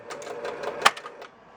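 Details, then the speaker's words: 1966 Williams Full House electromechanical pinball kickout: quick chatter of relay clicks then one sharp solenoid bang; kickout firing repeatedly because its switch was shorted through metal to the bottom half. "what should normally happen is if the ball is here switch closes relay fires since that was shorted out it was looking like this"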